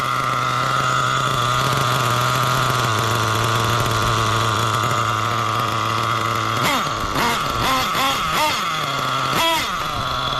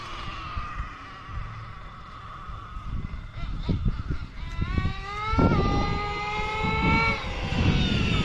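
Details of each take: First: Nitro RC engine fitted with a carb not meant for it while tuning from scratch: a burbly, uneven idle that sags and stumbles, blips of revs, then dies with lots of smoke. The low-speed mixture is still too rich. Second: Nitro RC truck (LST) after carb tuning, engine temperature 225–230: screams up cleanly on each pull down the street, pitch climbing and falling smoothly with no sputter or bog, dropping right back to idle; normal running, well-tuned carb.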